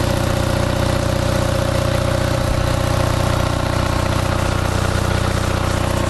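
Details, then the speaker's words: Onan 5.0 CCK-4R 5kW dual-fuel three-phase generator carrying a 1400 W heater load on one leg, 117 V, 60 Hz: even, steady drone with quick regular beat and no hunting or surging. Normal running under load. "Okay, we're only drawing 1400 watts from this, but you can, it's running effortlessly with the 1400 watts."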